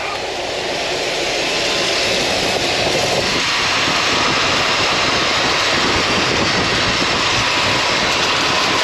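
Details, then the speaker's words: 1990 GMC Sierra OBS, abandoned project, after oil pan replacement, battery boosted: steady loud hiss over an even engine roar. Transmission fluid spraying from an unconnected transmission line. "Um What's that noise? Uh-oh. Some sort of liquid spraying over there."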